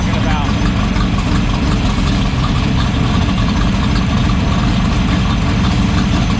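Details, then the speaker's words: 1972 AMC Javelin race car with an aluminum-rod AMC 401 V8, warm idle during a street stop after the loose header bolts were tightened; steady, even low rumble with no knocks or ticks, a healthy idle confirmed by stethoscope check. "so I'm going to fire it up and he's going to check for noises that are not supposed to be there myoll so that means it sounds good"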